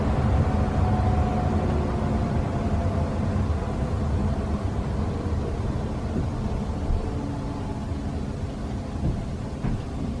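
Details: Furnace ECM blower motor, replaced under warranty, still giving a low droning groan with slowly sliding tones at startup and shutdown speed changes, quieter and lower-pitched than the original; owner suspects a motor tuning issue.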